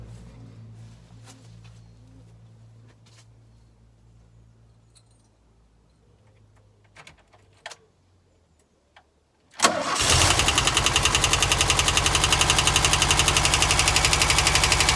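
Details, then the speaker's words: VW T25 after carburettor flange fix, previously high idle: after a pause the engine catches quickly and settles into steady, even idle about four beats a second; runs smoothly. "Sounds pretty good to me. So job done."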